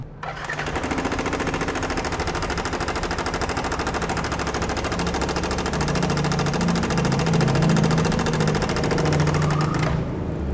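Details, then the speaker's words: Yamaha NMAX 155 engine idling: loud, fast metallic clatter about three per second, steady throughout; failed cam chain tensioner leaving the timing chain slack, very severe case, tensioner to be replaced. "Jadi kalau tensionernya sudah bermasalah, biasanya mesinnya agak berisik. Nah ini malah berisik banget karena memang sudah parah banget ya."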